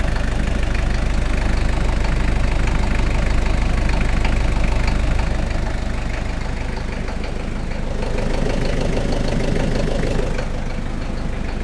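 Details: Toyota 1KZ-T diesel at idle: dull regular knock about two per second over the low rumble; origin not identified, cause suspected, not confirmed.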